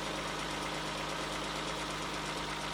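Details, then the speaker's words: 1994 Ford Probe GT, about 144,000 miles, warm idle: an even, mid-pitched hum with no knock or tick; owner chases an intermittent oil-pressure drop at idle and suspects the sending unit or oil pump. "Say for a 30-year-old car that has about 150,000 miles on it, so 144,000 miles on it. I don't really hear any excessive knocking."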